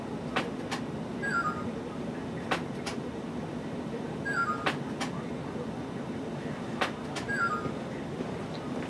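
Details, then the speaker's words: Lionel Universal Remote Controller 6-83071 with an American Flyer FlyerChief locomotive: track power applied but remote not yet linked, so the engine repeats short high chirps every two to three seconds until the engine button is pressed. "can hear the engine is now chirping at us saying power is applied but there is no control"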